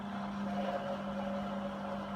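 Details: Hotpoint Aquarius WMA32 washing machine motor, which spun briefly and aborted cycles, running after the damaged tacho cable at the motor end was soldered; steady low hum, constant pitch, even level, turning smoothly and sounding normal.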